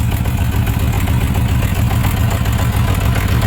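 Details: Suzuki RF900 multi-cylinder motorcycle at idle: uneven, lumpy idle with a stumble in the firing rhythm, one cylinder not firing, found by water drying on the exhaust headers; cylinder misfire.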